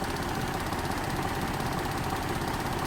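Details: 2008 GMC Acadia 3.6L V6 with P0300 random misfire, cylinders 3 and 5 dead despite new plugs and swapped coils and injectors: steady idle with a light, fast metallic rattle appearing right after clearing codes, diagnosed as timing chain rattle.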